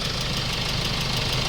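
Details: Hyundai Starex D4CB diesel with replacement engine fitted for blow-by, at start-up: steady diesel clatter at idle with even beat, no irregular knocks or misfires; healthy.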